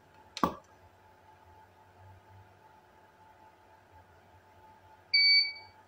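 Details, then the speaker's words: Repaired Paul C Buff Vagabond Mini inverter powering a studio flash at highest power setting 10; sharp pop as the flash fires, quiet hum, then a two-tone ready beep after about six seconds. Normal flash recycle. "Sekitar 6 detik ya teman-teman reloadnya ya."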